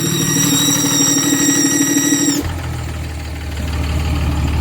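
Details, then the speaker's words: 5.9 diesel VGT turbo swap: strong steady turbo whistle that drops away suddenly as the vanes open; normal turbo sound. "what it's supposed to do. That's what she's supposed to sound like."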